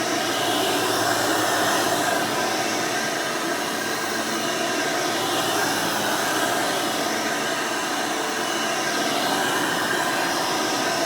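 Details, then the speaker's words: 1992 Hoover Elite II Total System Performance 430 (U4617-910) upright vacuum: steady, even airy roar with no wobble, rattle or scraping over eleven seconds; motor and fan run exceptionally smooth, normal running. "runs exceptionally smooth runs very nice and quiet almost sounds like the original 5 amp motor i wanted but definitely performs much better than that 5 amp would have"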